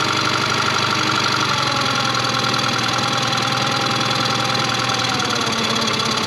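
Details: 2001 Yamaha 15hp four-stroke short-shaft outboard, sat in a barn 5 years, after service: steady, even idle with a fast regular patter, speed easing slightly lower as idle is turned down; no knocks or misfires, idles smoothly.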